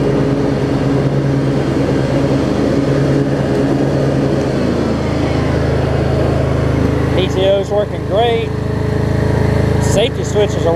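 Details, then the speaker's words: Craftsman DLT riding mower, 25 hp Briggs & Stratton V-twin, after carb cleaning: steady, even drone holds speed without surging with blades engaged, occasional slight pop or misfire. No longer surging, idles well, normal running under load. "it's running smooth now it was 30 million and the idol down it idles beautifully"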